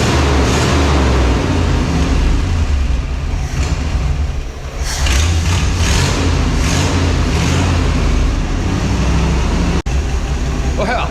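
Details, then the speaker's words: Tucker snow cat after work to make it meter fuel properly (fancy heat riser for cold weather noted): deep steady low rumble with even beat, brief clatter midway; runs, idles, meters fuel well, oil likely fuel-diluted, tune-up still needed; normal idle. "it runs it idles it meters fuel fantastic"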